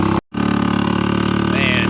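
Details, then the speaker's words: Old three-wheeled Harley-Davidson golf cart in cold weather: the starter spins about 40–45 seconds with occasional pops once the throttle is pressed. The cold engine struggles to fire, then finally catches and moves off. "is having a hard hard time right now struggling it's moving but definitely does not like the cold [Music] [Music] weather"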